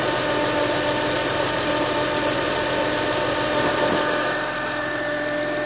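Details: 2007 Acura TL Type S: steady high whine over the idling V6, holding pitch and dropping slightly near the end; engine-bay whine, source not identified.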